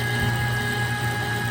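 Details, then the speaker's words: Kitchen trash compactor after its popped-off chain was put back on: steady, even motor drone with constant gear whine and no knocks or binding as the ram travels. It is working normally. "And now let me hit the switch. So now you can see it turn in a big gear."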